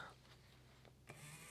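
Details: PlayStation 1 disc drive sled motor run on bench supply during drive service: short whirring gear run with gritty, crunchy edge under motor hum; sled gears have dried-out grease.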